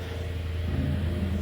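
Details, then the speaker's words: 2012 Ford Thunderbird running after a no-start was traced to a bad relay and the relay replaced: steady, deep, even engine rumble with no misses or knocks; normal running. "see car runs now. In a nutshell, all that was wrong with the car was a bad relay."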